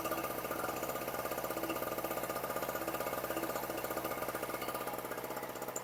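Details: Storm Cat 700W two-stroke 63cc generator after repair, on choke, run on 40:1 fuel mix (spec 50:1), slightly smoky rather than lean: steady, fast buzz with even firing, no misses or surging; running smoothly.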